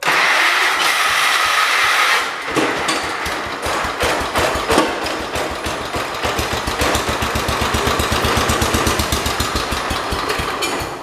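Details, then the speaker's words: Engine of a John Deere 212 donor tractor: after cranking it catches and settles into a steady, regular putter with clean even beats; sounds like a good, healthy motor. "Wow, that sounds better than that 210. Good motor. Yeah, I would say we got a good motor."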